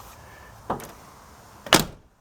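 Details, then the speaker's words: 1999 Chevy Tahoe driver's door, after sagging hinges were shimmed with washers so the latch stops dragging on the worn latch pin: a clean unlatch click, then one solid positive thunk, no scratching; the door works right. "See, when you open it, it's when you usually hear it, so you don't hear that scratch. But when you close it, you have a nice positive."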